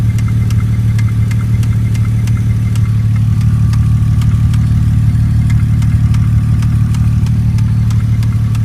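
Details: 2002 Porsche Boxster 5-speed with a light, sharp tick repeating a few times a second over a smooth, low idle. Owner suspects a sticking lifter or a blown header gasket; not confirmed.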